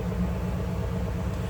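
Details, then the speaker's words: 1991 Cadillac Eldorado with 36,000 original miles, stock: deep, even low rumble with no knocks, ticks or misses and a steady idle without hunting; a nice-running V8. "Sounds like a stock, nice running Cadillac."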